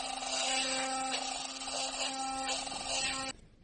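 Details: Philips Sonicare electric toothbrush, about 7 years old, running with brush head before repair: harsh, steady buzz with a rattly edge over the normal hum, plus wobble; cause is a loose screw under the drive shaft, fixed by tightening it.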